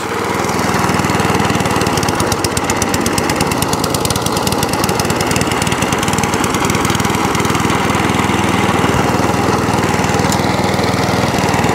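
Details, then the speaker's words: Crowcast 14S cylinder mower after new cylinder gear, pulley tensioner and drive cable refit: steady, even putter at about four beats a second, no knocks or grinding; idles cleanly, then shuts off. "Idles. And shuts off."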